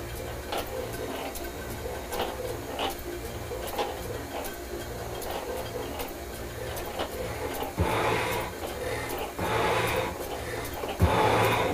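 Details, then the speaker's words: Milwaukee 10-inch shaper cutting a cast-iron block to width at a 0.075-inch cut with feed set at three, after tool-bit and speed adjustments: a clean, even scrape about every 1.5 s with a soft return; takes the feed well. "that sounds pretty good donut let's see if it'll take the feed yes it will"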